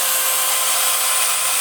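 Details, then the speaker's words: Kikoki angle grinder (Hitachi-equivalent parts) after repair, from a complaint of growling then dying: steady, smooth high whirr at constant speed with no sparking, growl or rattle. Repair successful. "oke saudara berhasil sempurna tidak ada saksikan bunga api dan halus suara mesinnya"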